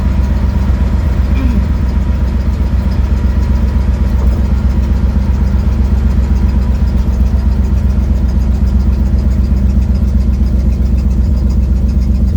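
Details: 1972 Ford Mustang driving home, phone mounted in the dash, leak not yet fixed: low, rough rumble with a steady ticking puff about four times a second at cruise. Exhaust leak.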